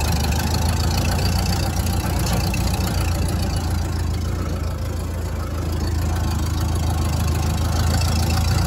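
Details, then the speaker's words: 1929 Ford Model A Town Sedan, first start after 35-40 years of storage, idling with the clutch pedal held in: rough, gravelly rumble from a badly worn clutch thrust (throwout) bearing. "clutch in. You can hear the thrust bearing is in pretty rough shape."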